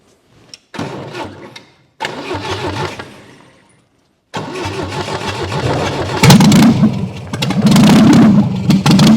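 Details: Long-dormant 1971 MGB engine, cleaned carbs with rough jet and idle settings, fuel poured in: cranking bursts then catches into a slightly uneven hunting idle; running a little lean, almost 70 psi oil pressure.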